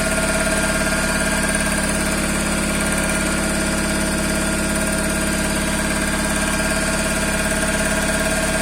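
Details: Toyota Corolla 5E-FE engine at idle: light, regular knock about three times a second keeping time with the engine; engine knock, cause unknown.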